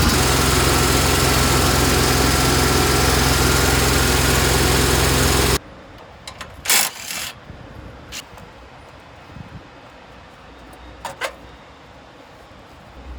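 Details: Engine with abnormal noise and white smoke, awaiting repair: loud running with an even repeating beat of about three or four per second, then shut off; abnormal noise, cause unknown.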